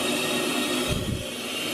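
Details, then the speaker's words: Newly welded fuel tank sump for a turbo LS RX7, plugged and pressurized for an air check; steady sharp hiss of escaping air from a pinhole leak at one weld corner, rest sealed, to be rewelded. "right there, you can see is a leak, and it looks like everywhere else is sealed. It's just that one spot, and you can hear the air escaping, so you know it was pressurized."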